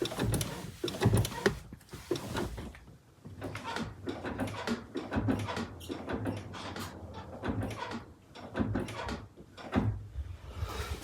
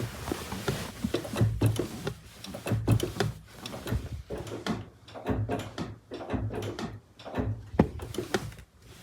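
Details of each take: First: Honda CR-V 2.2 L i-CTDi diesel: repeated creaky squeaks with each clutch pedal stroke, from a clutch release fork running dry at its pivot; fixed by cleaning and applying high-temperature grease. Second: Clutch pedal pressed and released after cleaning and greasing the dry clutch fork: soft, irregular thuds with no squeak, pedal much smoother.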